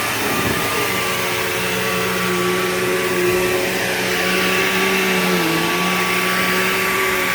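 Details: Bissell PowerGlide Platinum 3545-2 upright vacuum, acquired around 2018, running: under the steady motor roar a sustained whiny tone wavers in pitch. Owner calls the whiny wah noise bizarre and does not know its cause.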